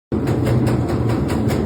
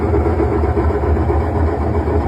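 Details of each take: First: así suena su lavadora cuando está centrifugando fíjense lo que pasa con esta amigos su lavadora les hace esto cuando está centrifugando yo le digo cómo repararlo fíjense vamos a cambiarle los amortiguadores Second: Washing machine spin cycle after replacing the shock absorbers: even, steady low rumble with no banging or wobble as the drum spins up; normal spin after repair.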